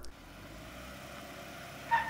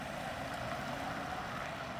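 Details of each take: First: 2015 Jeep Wrangler Rubicon in part-time 4WD high, lockers disengaged, tight parking-lot turn: three short high tire chirps over low engine rumble as the drivetrain binds with no center differential. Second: Lexus with open front and rear differentials and an unlocked transfer case, turning in a tight parking-lot circle: steady, even drive noise with no chirp, hop or binding, normal operation.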